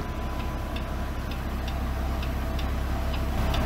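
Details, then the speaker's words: BMW M3 Competition, engine running, rear wheel turning: light metallic ticks about twice a second over a low engine hum, from overlong wheel bolts catching the handbrake springs. "yeah you can hear a definite ticking going on here not sure what that is but I guess we'll just have to find out"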